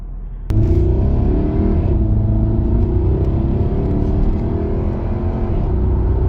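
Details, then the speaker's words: Jaguar XK (X150) 4.2 V8 road test at 50–70 mph after fixing a rattling heat shield: steady even engine and road rumble, no rattle or clinking; cabin now quiet. "I can't hear anything at the moment definitely would have heard it I think but I know fixed"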